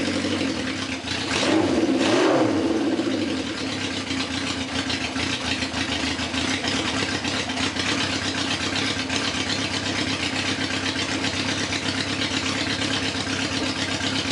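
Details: Old Honda CB750 chopper with rebuilt carburetors, after swapping spark plug boots to proper orientation, started on full choke: cranks briefly, catches, settles into even fast choke idle with no misses or knocks; sounds healthy.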